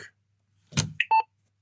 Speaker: It does that. That means it's powered up.